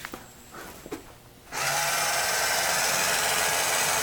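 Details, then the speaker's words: 1991 Williams Terminator 2 pinball at first power-up after factory settings restored: quiet clicks, then a sudden steady motor whir as the gun swings through its self-calibration sweep; gun motor calibration sweep. "you see the guns going bananas i think it's calibrating itself but i don't want to wait for that"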